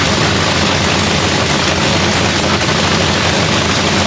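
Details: Lexus race car at first start of the season in shop paint booth; loud, steady engine note holding even with no stumbles or misfires; strong, healthy running, normal idle.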